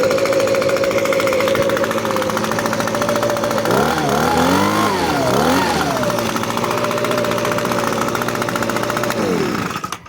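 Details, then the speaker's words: Echo ES-250 leaf blower vacuum, cold-started and running after tuning; earlier non-start traced to a safety interlock switch not being properly depressed. Crisp, even two-stroke buzz holding steady, revs cleanly through a throttle blip, then winds down: normal running. "I'll give it a start up here so you can hear what it runs like now that I've ran it for a bit and tuned it. Sounds perfect."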